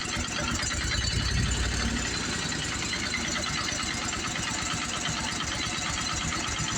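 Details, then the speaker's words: Simplicity zero-turn mower with a commercial Briggs & Stratton 25 hp V-twin, reassembled after oil leak, exhaust leak and no-power repairs; quick, even idle patter with no knock or miss, compressor nearby, sounds normal. "but for the most part have to see if I have to adjust the idle but to me that sounds normal"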